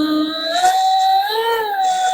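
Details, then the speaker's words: Sailrite Fabricator sewing machine motor with a 12-tooth speed-reducer pulley: steady, clean motor whine with no knocking after dropping back from speed 25, where it vibrates, to a lower speed with no problems. "Now if I drop it back down like here, no problems whatsoever."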